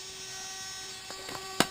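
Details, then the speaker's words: Brand-new Traxxas 2085 steering servo on an X-Maxx, front end off, with TSM on or off: constant mid-pitched electric hum, motor spinning inside but no steering response, louder against the plastic chassis; owner suspects an internal gear loose or broken. "now when I turn it it continues to make that noise with the TSM completely on or TSM completely off when I put it against this plastic the sound gets more prominent so when the trucks all together you really heard it vibrate in the front of the truck"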